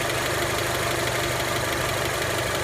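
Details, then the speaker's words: Honda Element fully warmed to 92 °C idling; light, quick valve-type clicking from the top of the engine, absent from below and unlike an earlier rod knock; cause not determined, owner hopes it is nothing serious. "Все, мотор полностью прогрелся. Его отчетливо слышно. Вот отсюда. Вот где-то вот из этой области."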